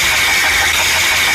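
A steady, thin high-pitched whine with a hissy edge rides over a running engine, with little low rumble. Cause suspected, not confirmed.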